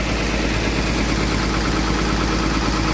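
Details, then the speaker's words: Komatsu PC200-7 excavator diesel running at even, steady idle with a smooth unbroken beat, no knocks or stumbles, after the starter motor was repaired (solenoid/plunger area) following a clicking no-crank fault; normal idle. "ini unit excelnya sudah running ya artinya dinamo starternya sudah beres progress perbaikannya artinya sudah beres"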